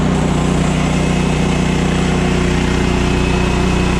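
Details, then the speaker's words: Woodland Mills HM130 portable sawmill engine while the blade cuts through a log. A steady, even engine drone holds its speed under the cutting load; the engine sounds healthy. "you guys hear the engine revving up take your time work with your machine the blade starts cutting and keep going"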